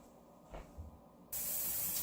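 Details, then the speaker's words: Stovetop pressure cooker on low reheating cooked leftovers, valve on the cooking setting: quiet, then a sudden steady loud hiss of escaping steam as it starts venting, which starts the 2-minute timer. Normal venting at full pressure. "Okay, so now you can see, and you can probably hear, it started to vent. So as soon as it started to vent like this, I put my timer on for 2 minutes"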